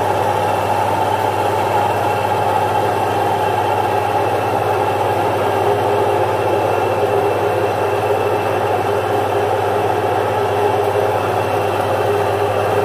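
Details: Domestic stone flour mill (atta chakki), single-phase 1 HP, grinding jowar flour with stones set close: steady even motor hum with soft grinding hiss, no knocks; running normally.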